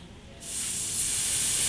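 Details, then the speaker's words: Iwata LPH 80 spray gun, air on with trigger untouched: steady sharp hiss from the trigger area; air leak caused by a bad fluid adjustment guide set (part 939-36880), fixed by replacing it. "Primarily, the air will be leaking around the trigger area. To demonstrate the issue that I'm talking about, I'm going to go ahead and turn air into the gun without pulling the trigger, and you'll hear the air"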